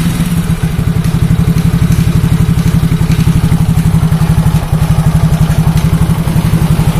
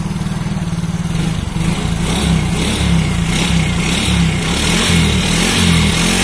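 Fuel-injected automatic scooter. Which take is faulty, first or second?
first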